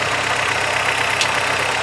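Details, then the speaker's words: 1985 Toyota Celica 22RE at cold fast idle: the engine runs steady with a constant rough whir over it. The brand-new water pump was damaged when water left in the cooling system froze. "Something making a noise that I don't like. That's the water pump. That water pump's brand new."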